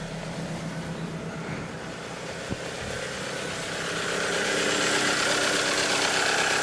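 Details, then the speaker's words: 1998 Toyota RAV4 at full running temperature, idle possibly slightly low: quick light top-end clatter, three or four taps a second, over an uneven idle; owner suspects worn valve shims at the far end of tolerance, not confirmed. "which is hot definitely a lot noisier and low idle idle idle might be a little bit too low at full temperature running temperature but you just hear the clatter clatter free obvious"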